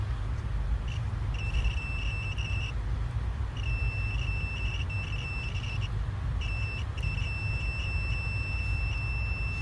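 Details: Continuity test on a fuel injector coil, injector 3 or 5 compared with an open injector 1; clear high-pitched meter beeps over a low hum; reads about 11–12 ohms against a 12–15 spec, normal.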